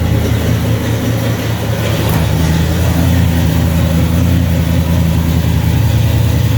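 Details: 1995 Ford Mustang just fitted with a C4 3-speed automatic, idling in park right after its very first start: steady, even low idle with no knocks, misses or whine; engine settles in and runs smoothly.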